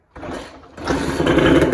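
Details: 1990 JDM Honda NSR250 two-stroke, first start after months of work (carb vent hoses redone): short crank, then it catches and revs into a raspy, fast two-stroke idle; normal start and idle.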